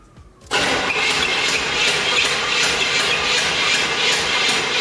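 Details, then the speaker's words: Barn-find Corvette Stingray stored 34 years, cranked after a quart of oil was poured in to lubricate rings and pistons: slow, laboured cranking with a hard metallic clank each turn, about three per second, no firing; cause unclear. "it's got a heck of a Clank all right we've cranked it over we've got the oil saturating all the rings and pistons and everything"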